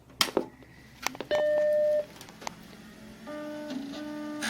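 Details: Macintosh SE running System 6.0.8 powering on after restart: one clean steady chime under a second, then soft even fan and hard drive hum; normal startup.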